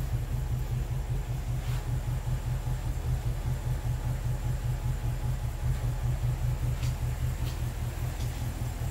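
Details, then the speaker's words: BMW N62 4.4/4.8 V8 idling with a heavy, uneven low thumping and knocking, misfiring on nearly all cylinders and shaking the car and door. "is like it's not I'm not shaking that how the door shakes and you can hear how it works and everything is super horrible super horrible"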